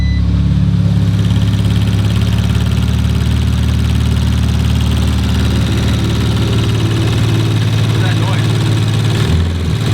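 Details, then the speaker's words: Rebuilt 2019 Audi RS5, first full warm-up after repair, no longer smoking: loud steady idle with a light fast ticking on top; evaporative canister not yet installed; source not pinned down. "ticking huh they're ticking"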